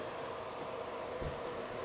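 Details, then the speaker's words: G-Tech GSpeed ES eSATA RAID array, not a brand-new unit, powered up: soft steady airy whoosh with faint mid-pitched hum, mostly from the power supply cooling fan; whispery, noisier than it should be. "but this is what it sounds like most that noise is coming from the uh from the cooling power supply down"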